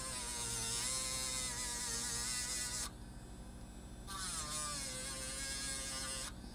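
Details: A 5-volt miniature air pump being modified for a pocket smoke machine gives a steady, high, buzzy whine with an even rhythm and no knocks or rattles. Normal running.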